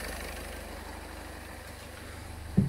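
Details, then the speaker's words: Citroën C2 (PSA) with no coolant temperature gauge: low steady idle with a constant airy rush that never cycles off; the radiator cooling fan runs constantly as soon as the ignition is switched on. "j'avais un problème de ventilateurs qui tournent en permanence du ton en mettant mais le contact on a le ventre leur client permanent malheureusement à l'intérieur"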